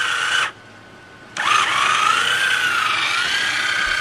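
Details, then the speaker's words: Autohelm Raymarine ST4000 wheel drive autopilot after drive belt repair, powered by 12 V battery charger: steady even motor whine, brief pause, then smooth restart; drive smooth and tight. "see very smooth it's just a little full volt battery charges hook up on the battery you're not going to hear that noise like I said this is very smooth very tight it ain't going nowhere"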